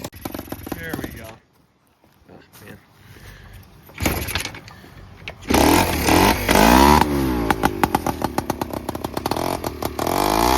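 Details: Honda Express 2 scooter, 60cc big bore, high-flow intake and exhaust, before tuning; owner suspects running out of fuel, plans a bigger main jet: several cranking tries, then a crackly buzzy run with uneven throttle blips; hard to start.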